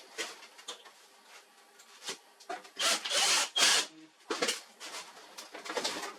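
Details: HP LaserJet 4345 printer after replacing worn fuser drive swing plate assembly (RM1-0043-000) that caused loud noise and paper jams: bursts of paper-feed rustle and soft roller whir, no grinding or knocking; running normally.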